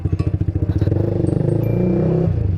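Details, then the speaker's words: Honda CBR150R motorcycle riding: engine thumping evenly then revving, with loud brief sharp high "kwek kwek" squeaks that sometimes disappear; rider suspects a worn, loose bearing leaking fluid, not confirmed. "denger nggak kalian ya tuh kenceng banget guys etdah kwek kwek katanya besok Anjay tapi kadang ilang lagi tapi ini Kata gue mah sih dari bearingnya ini"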